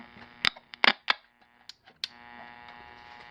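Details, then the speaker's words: Old estate-sale tube radio on AC power: steady buzzing hum, suspected mains hum from a bad filter capacitor, not confirmed. "I can hear something. Oh, it's got a lot of buttons and switches on the side there. It's got a bad capacitor in it."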